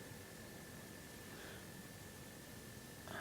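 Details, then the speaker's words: PlayStation 3 that shut down from overheating, after replacing the thermal paste: soft, steady airflow hiss with a faint constant whine, no rattle or surging, back of the console cool. Normal fan running. "I don't you heard the fan it's running smoothly and it feels cool the back I'm feeling cold"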